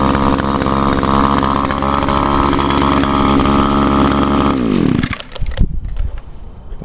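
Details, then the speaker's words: Older Echo SRM 2201 trimmer, 21.2cc two-stroke, choke and primer-bulb start. Steady, even, uninterrupted high idle buzz, then shuts off cleanly: normal running, started up well and stayed running. "started up pretty good actually stayed running for a change this time"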